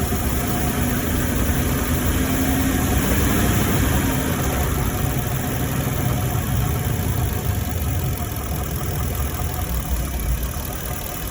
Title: F150 2018 V8 Engine Knocking noise while driving Part 2